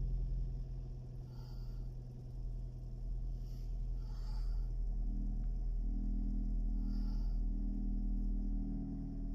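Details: Proton Gen2 that would not start, with the owner wondering whether a battery change would fix it: steady even low engine rumble with no misses, knocks or stumbles; engine running smoothly.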